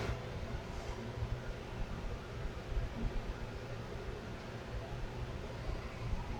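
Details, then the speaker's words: 1927 RCA Radiola 17 after filter capacitor block overhaul, powered at 120 V: speaker gives a low steady hum with soft hiss; audio stage working, less interference from the tubes since the speaker was moved. "Sounds better because before, when I had the speaker here, I was getting interference from these tubes."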